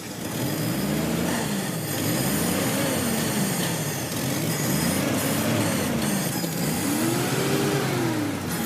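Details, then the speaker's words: Classic Pontiac that sat about 30 years, after solvent treatment for sticky rings and a suspect number-three cylinder: several clean rev sweeps with no knock, miss or stumble. It did not overheat but smokes a little, and the number-three cylinder is suspected. "Runs like a Swiss watch. And I ain't kidding you. Well, that's a pretty good sign."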